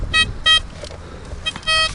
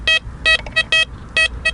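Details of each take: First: Blisstool v3 metal detector with a DD coil on a ploughed field, gain at a medium setting after ground balancing: clipped, stuttering tones break up and drop out over the sweep as it loses grip on the target, typical of iron junk; walk away from it. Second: Blisstool v3 metal detector on a ploughed field with a coin placed on top of the noisy iron spot: crisp, clean high beeps with no crackle, a solid non-ferrous target with the iron masked out.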